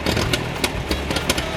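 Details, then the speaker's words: Massey Ferguson 135, Continental 2.4L petrol 4-cylinder, after carb rebuild, fresh fuel, new coil, rotor and distributor; number three cylinder 5 PSI low: lumpy running with uneven pops and surges, as if fuel-starved with governor compensating; cause unresolved. "It just doesn't want to run. If somebody's had the same problem before and this sounds familiar, leave a comment."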